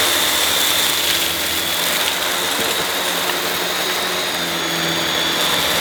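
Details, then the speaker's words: Refurbished used Dyson DC21 Motorhead canister vacuum, bought smelly and damp, brush head on carpet; steady high roar with light uneven rattle, minor; owner thinks the powerhead sounds better than the DC23; normal brush bar running. "I think the powerhead definitely sounds better than the DC23. Definitely."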